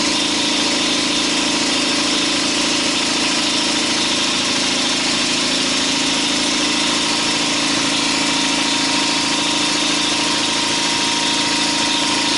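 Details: 2012 Chevy Silverado, 5.3 L active fuel management engine, at steady idle: a persistent, fairly even top-end tapping about two per second. The cylinder 4 intake valve lifter has collapsed and is not pushing its rocker arm.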